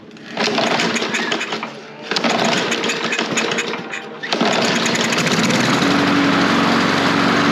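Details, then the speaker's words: Toro Recycler mower, Briggs and Stratton engine, won't fire on its own, started on starting fluid, air filter needs replacing: stumbles and dips twice, then holds a rough steady run; probable fuel starvation, carb clean suggested. "Okay. So, it is running and it stays running. So, it does probably just need a quick carb clean to make that where you don't need starting fluid."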